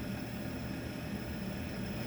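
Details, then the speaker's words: NTI TI100 boiler installed in 2009, calling for heat: even, rushing full-speed intake fan noise with no ignition clicks or burner roar, and the main circulator pump off. Sentry 2100 controller suspected defective (no lights, 120V present), then replaced. "can hear the fan going full blast but uh it was not firing"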